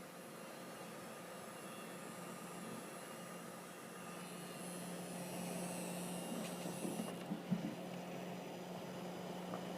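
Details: Huntkey 550 W desktop power supply buzzing while gaming (AMD FX-8150, Radeon 7970 system): steady low electrical buzz with faint high whine over soft fan rush; cause unknown.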